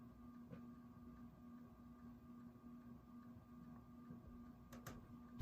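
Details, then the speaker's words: 1980s Menards Highline 42-inch Hugger ceiling fan, bought new in box, on high speed: steady motor hum with faint ticking, noise worse on high and vibrating quite a bit; cause unknown. "And now all the noises are really starting to come out, and it gets even worse on high. Also vibrates quite a bit too."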